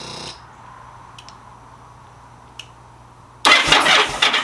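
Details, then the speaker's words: 2000 Yamaha V-Star 1100 after fixing a no-start by sanding the kill switch contacts: faint steady fuel pump hum on switch-on, then the engine cranks and catches cleanly. "I just sanded down the connections yeah watch turn the bike on this kill switch you could now hear the fuel pump"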